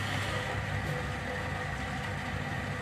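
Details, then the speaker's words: Crown Lapidary 3lb single-barrel rock tumbler with an enclosed belt drive, one powered and one slave roller, and a rubber barrel, running: steady low hum with an even rolling rumble and no knocks or grinding; motor and barrel sound smooth and healthy. "that is one lovely lovely little machine but like i said the quality of it is second to none listen that's not that's quality"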